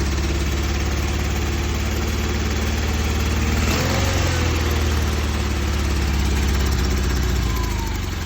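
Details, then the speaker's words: Newly swapped carbureted engine, just fitted with a fuel line, fuel filter, throttle and exhaust. It runs better but will not hold idle: an uneven, wavering beat that dips and picks back up. Rough idle, cause not yet found. "It does not like idle though."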